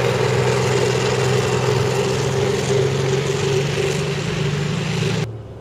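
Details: CVR(T) Striker FV102 Swingfire tank, August 2010: rough, uneven run with a lumpy beat of about three per second before the engine cuts off; misfiring badly, caused by a stuck valve; engine later replaced.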